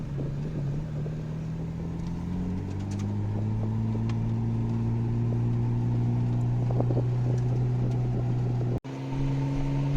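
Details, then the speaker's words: 1989 Nissan Skyline GT-R R32, manual, on a test drive after rear differential bearing replacement: engine note climbs smoothly through the gears with no whine rising with road speed; rear diff now quiet, no more differential noise. "drives nicely no more rear differential noise aircon is nice and cool"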